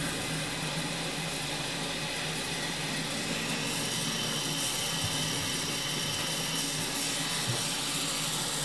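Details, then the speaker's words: Washing machine filling on a normal load after water hammer arrestors were installed on hot and cold supply lines: steady water hiss, no bang when the hot valve shuts off; water hammer fixed, normal fill and shutoff. "And when the hot water turns off, now there's no water hammer noise. Obviously you can still hear the water running, that kind of thing."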